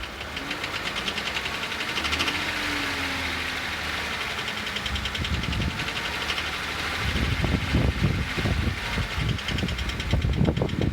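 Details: 2008 Jeep Wrangler JK at idle after morning start-up, persisting after oil and filter change: rapid, somewhat uneven clicking knock over the engine; cause unknown.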